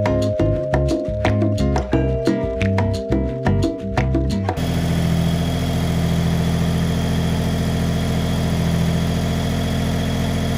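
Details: 1974 Datsun 260Z, just started and warming up: low, lumpy idle with an uneven throb that never settles into a smooth beat; the twin carbs are out of balance and need to be dialed in.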